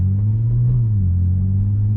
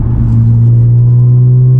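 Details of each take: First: Supercharged Audi after aftermarket mufflers were refitted with aftermarket tips, heard cruising from the cabin: a smooth, even low rumble with almost no drone, the supercharger more audible; still a bit louder than factory but healthy. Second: Audi with muffler delete and cat-less downpipes, cruising at the speed limit in 4th gear, heard from the cabin: a constant deep booming hum, exhaust drone that is too loud inside.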